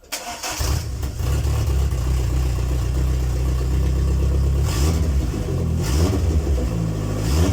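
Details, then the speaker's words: MG ZR 1.8T turbo project after fitting a new intercooler and piping: steady low engine note, each throttle blip brings a sharp rushing hiss as boost escapes at a pipe coupler/connector; pressure reaches the pipes but leaks out, so a new clamp is needed. "so if well you would have heard there's no way you would not have heard that we did get pressure through the pipes but it's all leaking out here"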